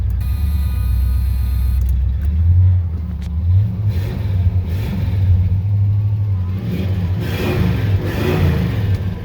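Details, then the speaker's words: 1972 Chevrolet Monte Carlo Custom, 102k actual miles, 12-bolt rear, engine cold, choke not working properly; deep V8 rumble rises and falls smoothly with throttle blips, running even and healthy with no smoke. "course, no smoke. So anyway, choke's not working exactly."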